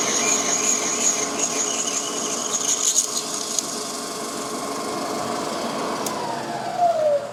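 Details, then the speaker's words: Drilling out the very hard rivets during a clutch basket repair on a Yamaha YL2C Trailmaster 100: drill whirring with a thin, high squeal coming and going as the bit bites, and the pitch sags under load. "can see that you can hear it. It's squeaking when it first starts off. It is really hard."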